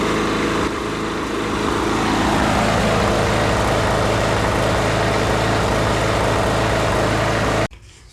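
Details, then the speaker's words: Husqvarna 510 MD push mower that stopped dead after the blade hit something hard. It runs sputtering, rough and shaking, the beat wavering before cutting out. The flywheel key is believed sheared, and the flywheel was later found out of timing. "you can even see it shaking a little bit here so I'm thinking that the ignition timing is out a little bit because they probably sheared the flywheel key"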